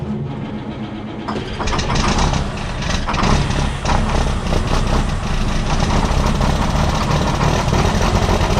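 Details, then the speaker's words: Big Red, a diesel truck hauling corn, cold start with the block heater not plugged in and freshly replaced batteries: the starter cranks briefly, then it catches and settles into a rough but steady idle clatter; normal cold start. "So we're going to fire her up and see what she sounds like. To date, I've had pretty good luck with starting it when it hasn't been plugged in."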